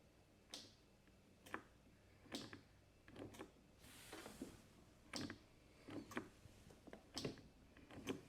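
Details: MTD White riding tractor with 13.5 HP Briggs & Stratton industrial engine, sat for years: only faint, uneven clicks about once a second with no cranking; starter not turning the engine.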